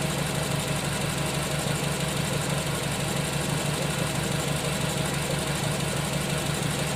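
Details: Nissan Tiida at idle: uneven, stumbling pulse about three times a second under the engine note as a cylinder drops out; misfire.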